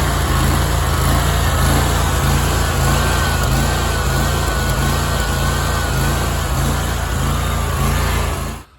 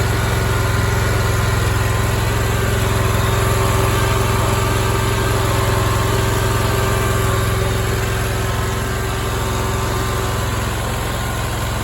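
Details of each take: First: Big Dog Stout lawnmower engine surging for a couple of years at low idle, not under load; speed swells and sags in slow waves. Owner believes the carburetor's two top welch (freeze) plugs came out; new welch plugs fixed it. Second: Big Dog Stout lawnmower petrol engine holding a steady, even idle with no rise and fall in speed, after new welch plugs were installed in the carburetor to cure two years of surging at low idle without load.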